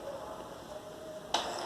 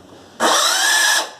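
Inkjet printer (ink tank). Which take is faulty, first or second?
second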